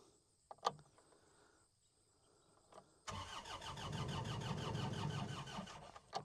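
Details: New Holland L218 skid steer that sat for months without starting: the starter cranks at a steady rhythm of about three beats a second for three seconds and never fires; two failed relays were later found.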